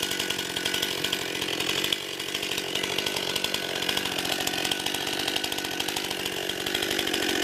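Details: New 50cc two-stroke chainsaw, about ten pounds, cutting wood from a skidded pile on a cold day: high steady buzz under load, chain biting wood, strong and even throughout. Owner finds lots of power for 50cc; normal cutting.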